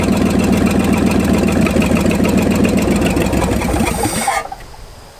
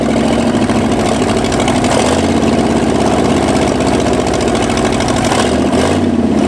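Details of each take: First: 1965 Ford F250 abandoned 26 years, after timing was advanced about 12 degrees and the points gap opened: it runs fairly even at a quick, steady beat, then shuts off; runs much better. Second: 1965 Ford F250 revived after 26 years abandoned: it stumbles and hunts, speed wandering as the throttle is worked, barely holding idle; rough running later traced to ignition timing.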